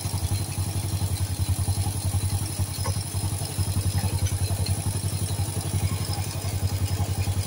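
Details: Supra-style motorbike with a non-Honda "Turbo" engine, bought used, that blew white smoke from the exhaust. After a temporary no-cost fix: even low thumping exhaust pulse, about three or four beats a second, steady with no misses. Only slight residual smoke remains while revving.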